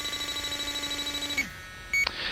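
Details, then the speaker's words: LD Prowler 5000 electrochemical refrigerant leak detector on an HVAC coil: rapid steady ticking beeps rising to sharp alarm chirps, pinpointing a leak at the center of the coil bottom. "It's pinpointing that leak right there."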